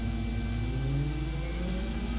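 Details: BMW E31 840Ci EV conversion on a test run of the Siemens motor, inverter and power steering pump integration, with power brakes working: a low hum and faint whir that climb as the throttle is blipped, no grinding or clunks; normal, healthy motor revving.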